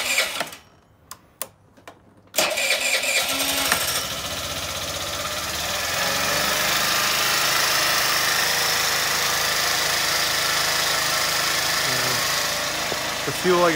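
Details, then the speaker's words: Spoon Sport scooter that died out on throttle, after carburetor parts were cleaned until they whistled when blown through and everything was reassembled: several short cranks, then it catches and settles into a steady, even idle with a light buzzy note. "all back together let's fire it up and see what happens i'll let it idle and then hopefully we're good"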